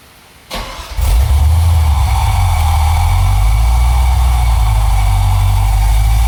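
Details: 1980 Camaro with Thrush muffler cranks briefly, catches, then settles into a deep, loud, steady rumbling idle with even beat; healthy engine through free-flowing muffler.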